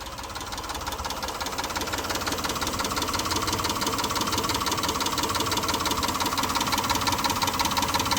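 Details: Mitsubishi Montero at idle: steady light sharp metallic ticking about three taps a second over engine hum; owner unsure whether a stuck valve lifter or piston slap.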